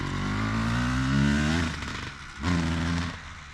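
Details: 2003 Honda CR250R two-stroke dirt bike riding after idle adjustment: revs climb then sag without clearing out up top, loaded up; top-end bog, owner suspects carb needs going through and re-jetting.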